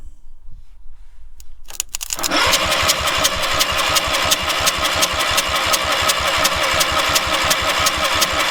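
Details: Two-cylinder engine on a free trailer-mounted man lift, water blown out of a cylinder after water in intake, kill wire cut off; steady starter cranking, even compression pulses about three per second, turns freely but won't fire.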